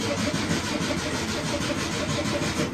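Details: 1967 VW Beetle during original wiring-harness rescue: even, rhythmic whirring chug of about five pulses a second with no grinding or clicking; the starter is cranking the engine properly.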